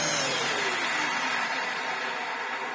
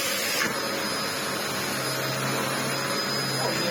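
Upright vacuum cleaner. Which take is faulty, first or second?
first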